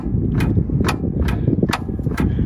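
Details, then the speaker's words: Caterpillar D4 7U dozer with HT4 Traxcavator loader, revived after years in a pasture, cleaned battery cables and two batteries; sharp solenoid clicks about twice a second, starter never turns; starter likely needs rebuilding: starter solenoid clicking, no crank. "a solenoid is clicking the starter is not turning so I probably need to take the starter off and get that rebuilt"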